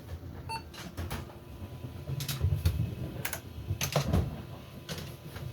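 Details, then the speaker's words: Hard drive from a 486DX2-66 build (FIC 486-GVT-2 board) powered on: low spin-up hum with bursts of quick irregular head-seek ticking; normal working old hard drive spin-up and seek noise. "And listen to that awesome, listen to that awesome hard drive sound."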